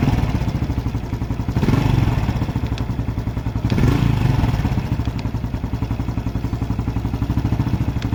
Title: Biz 125 ou 110 com barulho no motor tipo TEC TEC